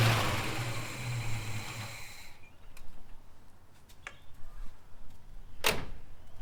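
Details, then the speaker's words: Holden HK, engine just installed, first start: catches and runs about two seconds with a steady low rumble, then cuts off leaving only ticks; it fires and runs, though a welsh plug leaks. "But everything else, she started and she ran."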